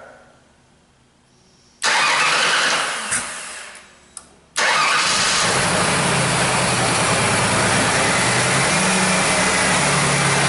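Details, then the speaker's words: Mercury Sable with intermittent no-start, no fuel pressure and high pump current draw (12.8 A), after dropping the tank and replacing the fuel pump: new pump heard priming at key cycle, then quick start into a steady, even idle. "I just want you to cycle the key once okay all right listen close here that fuel pump kick on all right started"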